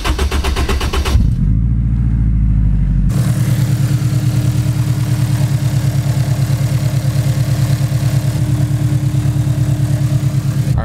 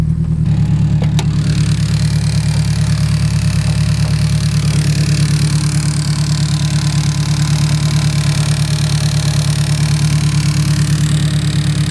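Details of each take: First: Turbo Honda S2000 AP1 (Precision 58/58 turbo, custom manifold, Haltech ECU), cold start after sitting a couple hours; ticking appears only once warm: quick crank, even steady idle with no ticking; normal cold start idle. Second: Turbocharged Honda S2000 AP1 (Precision 58/58 turbo, Haltech ECU) at hot idle after driving, steady tick about three per second over the engine; timing chain tensioner suspected, not confirmed.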